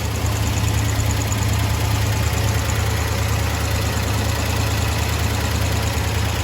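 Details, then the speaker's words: 1975 International D150 pickup after fuel pump replacement and carburetor rebuild, running off a small gas can with belts and fan on, gives a deep steady idle rumble with no misfires or knocking; healthy, smoke cleared up. "Definitely sounds healthy, that's for sure"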